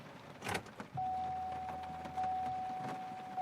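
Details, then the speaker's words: 2002 Chevy Malibu with a no-start, anti-theft system suspected, battery reconnected, key turned on: steady mid-pitched electric hum for about two and a half seconds as the fuel pump primes normally. "Fuel pump. Now I'm going to get back in it and find out what's what I got."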